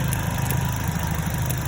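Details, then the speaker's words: 2010 Chevrolet Cobalt 2.2 after repair: missing ground fixed at the starter relay and MAF sensor (P0102), bad cylinder 3 coil replaced. Low, steady idle with an even beat and no stumbles or skips; firing on all cylinders, no misfire. "Now it's running good, not misfiring, it's cranking, and just like I showed you, no more codes."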